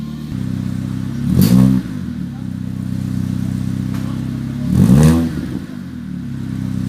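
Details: Ford Fiesta Mk7 with Borla exhaust after exhaust leak repair with silicone gasket; settled idle then two quick blips rising and falling cleanly, deep even exhaust note with no puffing or ticking, normal.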